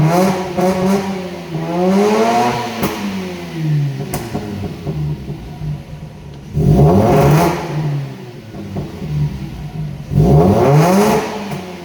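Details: Mazda RX-8 rotary engine revs in uneven, rough, stumbling bursts: misfire from bad ignition coils.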